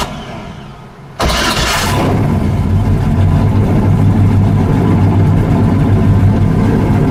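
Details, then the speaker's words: LS1 V8 after removing the intake and fixing an oil leak at the knock sensor valley gasket, started to warm up: quick crank, then catches and settles into a steady, even warm-up idle with no knocks or misses; normal. "Gonna go ahead and start it up, just let it warm up, see what happens here. Hopefully, no more leaks."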